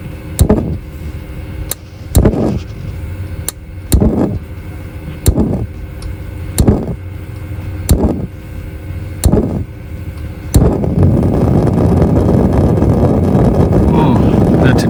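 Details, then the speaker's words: Dometic RV fridge switched to gas with shore power disconnected and the access panel removed: about eight slow igniter snaps before the burner catches with a soft roar. Ignition is delayed, and the owner suspects a weak gas supply. "while did you hear how long that took to start so my real problem here might be my gas"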